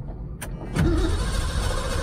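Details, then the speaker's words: 1978 Ford Mustang II started after sitting for months: click then steady starter cranking, never catching; dead battery with a booster that cuts out after seconds, little fuel in the filter, fuel delivery issue suspected. "the problem is the battery is dead and the booster only works for a few seconds then it automatically stops or turns off and it's back to the dead battery again so can't crank it for too long"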